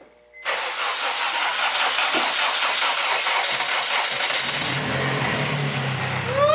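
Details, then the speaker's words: Acura RSX Type S after engine rebuild with new pistons, clutch and LSD, first start once fuel pressure was primed: cranks about four seconds, catches cleanly, settles to a smooth even idle; no exhaust leaks heard. "Oh, it's alive, it's alive, it's alive."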